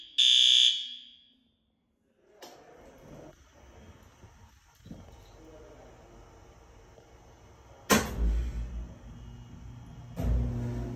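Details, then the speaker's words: System Sensor L-series white fire alarm horn on a Notifier NFS320C panel in a 1958 elementary school, set to high volume: one loud, high-pitched blast of about half a second, then quiet; it sounds properly on test, though it seems not very loud. "That's not very loud, is it? I put those on high volume too."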